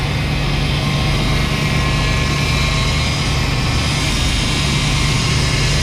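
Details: 1991 GMC Suburban with a 5.7 TBI engine, sat 10 years, fuel pump hotwired, first start: a loud steady drone held well above normal idle; owner suspects a missing vacuum line; possibly low power-steering fluid.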